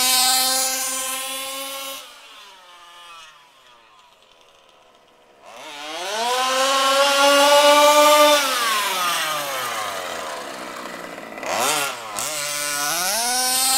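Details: HPI Baja SS with a Zenoah G320 two-stroke, rebuilt, on 91-octane ethanol-free fuel with Bel-Ray oil at 32:1: screams up through the revs to a thin full-throttle wail; slightly lean on the high-speed needle, later corrected.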